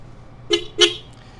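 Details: 1981 Yamaha XS1100 Special, about 5,000 miles: two short, clear honks with a steady mid-high tone and no rasp or wavering; the horn sounds healthy.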